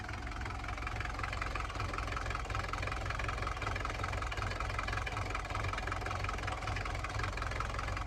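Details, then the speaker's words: Mercedes 240D diesel after valve adjustment and injector pop-testing/rebuild, first start: clatters at idle with uneven, lumpy beat around eighty a minute, still smoky; owner thinks not all cylinders firing, cause unconfirmed. "one or two fire in here I don't think it's running all cylinders yet oh we're still smoky smokey"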